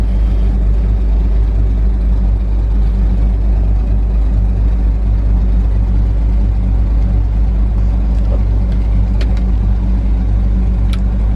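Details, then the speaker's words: John Deere diesel with 6 new fuel injectors and a new transfer pump, running with no muffler. A deep, loud, even rumble that holds steady without misses or knocks. The engine runs cleanly. "all right we're gonna try to crank it here don't have no muffler on it right now so listen"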